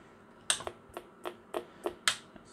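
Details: Macintosh Plus analog board after recap, powered up slowly from lowest adjustment setting: sharp dry chirps about three a second, no picture; voltage likely far out of adjustment, not starting properly, cause suspected not confirmed.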